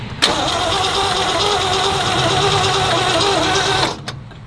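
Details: 1962 Lincoln Continental, original one-owner car long in storage, with new distributor cap and points, broke down on its first drive; starter cranks steadily at about four beats a second but never fires. No spark seen at the points; cause unconfirmed.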